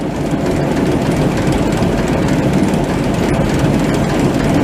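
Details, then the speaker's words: Machine (525) running after walker repair, with the newly installed chain running for the first time: steady heavy mechanical rumble with even clatter, no catching or snapping; much quieter, new chain running smooth. "This is the first stuff running with that chain in there too. That's a crap ton quieter."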